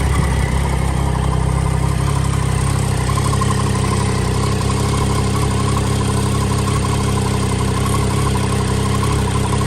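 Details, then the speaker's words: Triumph Daytona 675 crash-salvage rebuild, after refuelling and cable-tying a dislodged part back into place: fires straight back into life and settles to a steady, even idle with a firm low throb, no misses or knocks. "I've just quickly cable tied it back into place, and as you just heard, it fired straight back into life. So happy days."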